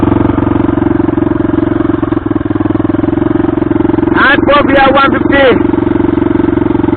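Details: Modified Hartford VR 150 motorcycle with no exhaust: a loud open-pipe single chugging unevenly with skipped, ragged beats and a brief rev blip; it is misfiring.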